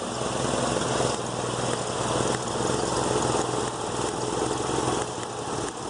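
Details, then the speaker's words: Petrol engine idling unevenly, with irregular pop-pop-pop skips from a misfire. "You see lightning start jumping out the side and hear it start skipping. You can find one like that. This one here, you could hear it going pop, pop, pop, you know."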